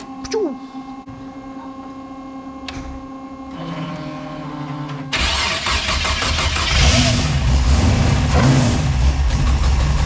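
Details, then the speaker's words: V6 Chevette first startup after fresh drivetrain install, all six cylinders now firing instead of four; cranks, fires, settles into steady, slightly lumpy idle from choppy cam, temperature good. "Okay, sounds a lot better now that we finally got six cylinders, not four."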